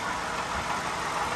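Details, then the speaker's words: 2013 Toyota Sienna Limited V6 at idle, before repair, engine bay: dry steady whirring from the belt drive, worsening over weeks; worn water pump and idler pulley bearings, replaced preventively. "so it is the noise that uh telling us that the water pumper is blown out eventually so i'd rather replace it now before it breaks down"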